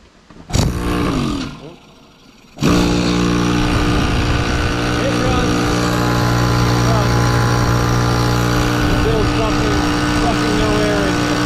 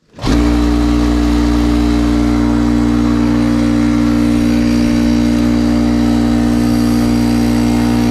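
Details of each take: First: 20+-year-old Craftsman 6 hp 30-gallon air compressor with a scored cylinder and piston: steady motor drone with a light, fast even chuff and no strain, pump turns with zero resistance, runs nonstop and builds no pressure. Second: 20+-year-old Craftsman 6 hp 30-gallon air compressor after rebuild: steady motor hum and even pumping drone, no knocking, air coming out, building pressure to 75 psi and getting hot.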